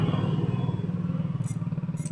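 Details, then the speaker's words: Honda Click 125 scooter that wouldn't start, with lights flashing on the start button: a faulty switch was jumpered. The starter now cranks the engine freely with a steady, even whir. "ayan nagkakaroon ng starting. Ayan kumcorrupt. Ayan bale goods yung kanyang push button."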